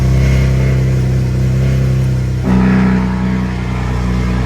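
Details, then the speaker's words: BMW M4 after new spark plugs and charge cooler, stock chargepipes, distilled-water coolant; exhaust valves open and it turns sharply louder and fuller, steady and smooth; idled 10-15 minutes and held at 3,000 rpm. Normal running, loud exhaust. "it's loud. Alright, so I've had the car idling for probably like 10-15 minutes now. Also been holding it at like 3K RPM. Sounds good. Idle sounds fine."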